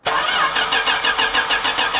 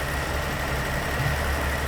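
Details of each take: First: 1980 Dodge D150 truck, first start after new fuel filter, fuel poured down the carb: quick uneven cranking pulses that catch but won't settle, engine dies, possibly while the float bowl is still filling; hard starting, likely from fuel starvation. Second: 1980 Dodge D150 V8 truck after carburetor rebuild, still cold with choke on: smooth, steady low idle holding on its own without misses or surging; normal idle.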